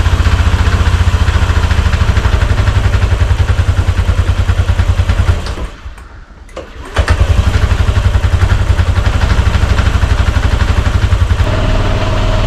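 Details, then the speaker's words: Honda Scoopy (Metropolitan) scooter after a road trip that ended with it on a tow truck: a small single idling with an uneven, loose rattle that clears with revs and returns at idle; cause unknown, owner fears it is terminal. "it's running, it's pretty rattly as you can hear. Once it get a bit of revs up, it kind of clears up a bit. But then once it starts idling, it rattles again."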